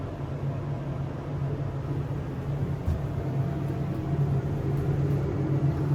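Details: SEIM screw pump in machine room of elevator modernized a few months earlier, replacing old Dover: constant low droning hum growing slightly louder over several seconds; pump very noisy.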